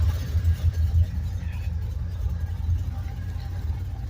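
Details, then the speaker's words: 2008 Ford Mustang Bullitt from salvage auction at idle: deep loud burbling exhaust, no ticking; mufflers appear missing, owner suspects removed, not confirmed. "So, looks like he might have pulled the mufflers off, and that's why it's so loud."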